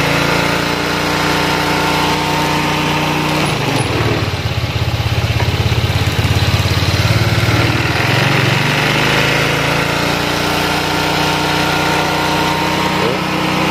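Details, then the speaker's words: Honda Vario 125 eSP scooter idle sometimes normal, sometimes climbing high on its own and settling back; unstable idle. "jadi seperti itu ya kendalanya jadi apa ya kadang-kadang itu gasnya mau lamsam seperti biasa Ya normal seperti itu dan kadang-kadang gasnya itu tinggi sendiri seperti itu"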